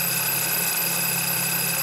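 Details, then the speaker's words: Squeal from the serpentine/accessory belt area over a low engine idle hum, a steady piercing high-pitched squeal; spray water on the belt with the engine running: if it stops it's the belt, if not probably a pulley bearing, found with a mechanic's stethoscope. "your car developed a squeaking or a screeching noise coming from somewhere around the serpentine belt area that sounds like this?"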